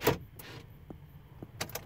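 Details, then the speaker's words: 2004 Chevrolet Tahoe door lock actuators clunking in quick bursts after holding unlock while cycling the ignition on-off; locks cycling signal remote programming mode. "I'm not sure you guys hear the clicking of the other locks that means you're in the programming mode"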